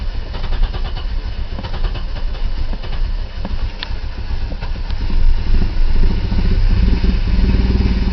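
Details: 1990 BMW E34 520i, M20B20 engine with LPG/petrol conversion, cold and idling on petrol after barely starting, won't start on LPG. Rough idle with uneven lumpy firing and irregular stumbles. Owner suspects a failing fuel pump. Fuel light always on, gauge dead.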